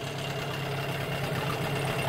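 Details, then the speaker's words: 1988 Johnson Evinrude 6hp short-shaft outboard after replacing the plastic-top carburetor, which caused run-then-stall, plus a water pump impeller repair: steady even idle buzz, no misses or surging; runs like a champ. "and change the carburetor boom motor runs like a champ"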